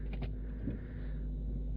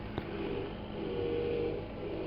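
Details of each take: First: VW Phaeton 5.0 V10 TDI diesel after power steering pump replacement, done without engine removal: low, smooth, steady idle with no whine or hum even while turning the wheel; previous pump whined. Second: Volkswagen Phaeton 5.0 V10 TDI diesel at idle, with a new original line from the pump to the steering rack; steady mid-pitched whine over the idle that fades at times; power steering pump whine, later replaced without removing the engine.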